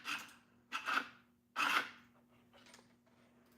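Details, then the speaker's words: Car trunk that would not open, latch actuator bench-powered directly (pin 4 power, pin 3 ground): three short buzzing whirrs over faint hum, motor runs cleanly each time; actuator works, fault lies in wiring. "No, it does work. Hear that? You hear that?"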